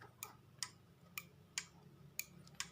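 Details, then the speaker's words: Motorcycle turn-signal flasher relay after repair: crisp tick-tick pairs about once a second at a steady rate, same sound as the normal original; relay working normally. "dieses nach der Reparatur, dieses hat immer noch den gleichen Klang, und das ist das normale, okay"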